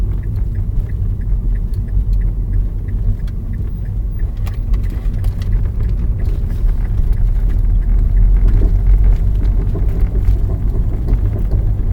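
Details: 2006 Mazda3 driving over bumps: sharp, irregular clunks from the front suspension over deep road rumble; strut mount and lower arm already replaced, cause turned out to be worn front sway bar end links.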